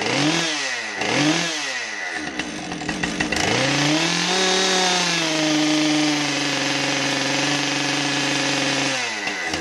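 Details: Husqvarna 550XP chainsaw on a test run after bar-oiling repairs: crisp revving that climbs and falls cleanly, then holds a steady high scream without stumbling; running properly.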